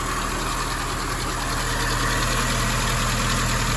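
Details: 1961 Triumph TR3A four-cylinder, warm, after carb work, balancing twin carbs (one reading 7, raising idle on other): even low throb and steady beat, no misses or knocks; smooth settled idle.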